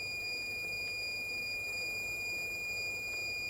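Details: Dead Asus TUF FX506L laptop, 2.5 V, 3 A into the main power rail: steady unbroken high buzz, rail still shorted, hot spot near memory at 56°C suspected under the board; short from a bad MOSFET.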